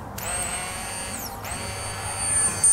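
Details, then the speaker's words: Electric fuel pump on a 30-year-old Range Rover Classic V8 unused 7 years, bench-tested live: steady high-pitched whine for a few seconds with no stutter; pump works and is usable, fuel sender judged faulty instead. "so that pump works so we have got to work if needed"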